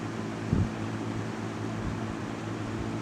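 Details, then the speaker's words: 1998 Lasko 3700 Ultra Force 20-inch box fan on low: steady, even low hum with soft airy white-noise hiss, no knocks or rattles; normal running on low speed. "here is low and i have slept with this one many different times and it does uh that white noisy sound is actually very nice it's quite nice"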